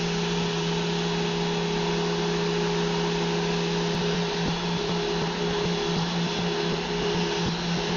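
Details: Random orbital sander, held with the hand on top after a rear-finger grip; this reduced the wobble. Steady, even hum with constant pitch, no rising scream or wobble; running smoothly under control.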